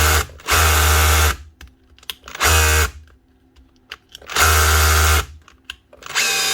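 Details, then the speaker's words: Makita DHR242 18V cordless SDS drill, just over a year old, customer says starts and stops: hammers in one-second bursts then dies and restarts, only when hammering; intermittent cut-out. "she's indeed starting and stopping but only when she's actually hammering so it might be a connection problem hopefully on the board on here"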